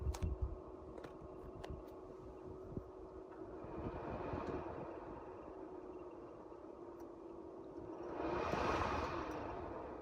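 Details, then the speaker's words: 1990 Mercedes W124, Tempmatik HVAC, original blower motor before replacement: quiet, steady fan whir that sounds like it's struggling, with a thin, persistent squeak on top; the cabin blower motor squeak. "so let's see if this fan even starts turning i can hear it struggling and there's that infamous squeak which drives you absolutely nuts when you're driving around"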